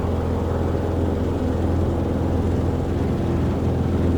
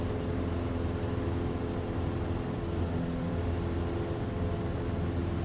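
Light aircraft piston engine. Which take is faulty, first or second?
second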